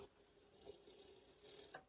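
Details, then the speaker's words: Commodore PET 2001 8K with built-in datasette, rewinding a very long vintage cassette: quiet ticking and creaking with uneven labored spurts, motor slowing near end of rewind; tape drive motor straining, can cause load errors, eventually finishes. "I'm going to rewind and you can hear that this is struggling it is struggling it's getting there yeah it's really slowing down and see that too can cause load errors and other things yeah it's fighting I don't know if it's going to make it"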